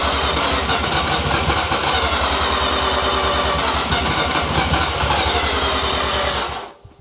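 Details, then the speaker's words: New Mazda 13B bridgeport rotary on first start attempt, no throttle, after ECU map corrections; steady fast starter churning for over six seconds with no firing or catch, then stops; cranks but won't start, cause unconfirmed. "you might need to um crank it for a while it may take time to build the all right for to seal the rotors"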